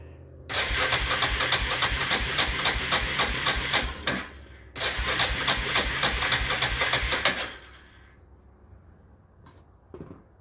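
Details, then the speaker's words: Yamaha engine, sat outside about two years or more, choke stuck, bad fuel drained from carburetor; fast even cranking in two long bursts, starter clicking, never fires: cranks but no start. "Alright, it's a clicking, whatever that means."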